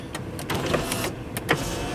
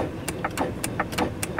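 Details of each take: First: Land Rover Discovery 2 power window: brief motor whir with clicks at start and stop, glass travelling smoothly with no grinding or straining; window regulator working normally. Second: Land Rover Discovery 2 rear window stuck down: pressing the switch gives a few faint irregular clicks but no motor whir; both rear window motors not running while fronts work, cause suspected, not confirmed.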